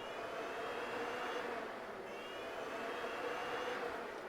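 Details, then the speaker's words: 1972 Ford Maverick electric radiator fan powered directly with a power probe hot wire: spins up to a steady even whoosh, no scraping or ticking; fan motor works. "So I have a power probe right here, and we're just going to have a look and see if this fan will move when I probe it with this hot wire. Oh, there it goes."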